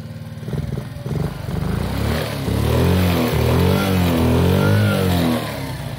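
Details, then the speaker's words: Kazuma Meerkat 50cc ATV started on choke, then choke off and warming up: the small single buzzes unevenly at first, then climbs into a steady rev and settles back, running clean with no knocks. Normal revving. "hit the button then that's all she wrote fires right up give it a few seconds to warm up"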